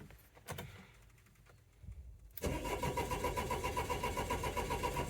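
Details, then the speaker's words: 2004 Renault Trafic 1.9 dCi diesel with boost pack on battery, cranking faster, fast even turnover that almost catches but won't start; crank-no-start. "oh it sounds like a it's turning over a lot faster now oh it almost went"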